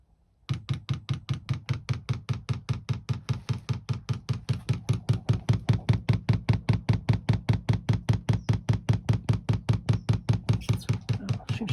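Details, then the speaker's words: 2 kW Chinese diesel heater newly fitted in a VW T4 camper, fuel pump priming the new line: crisp evenly spaced ticks about two and a half per second, normal; fuel slow to reach heater on first attempt. "obviously the pumps kicked in there"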